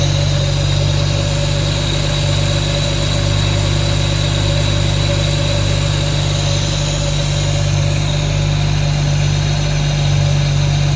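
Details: Ford BF Falcon F6 turbo six, ~20-second start to check for oil leaks after fitting a modified rear turbo housing for boost control and sealing the leaking thermostat housing with silicone. Steady, even idle with a deep low rumble, no knocks or rattles; normal idle.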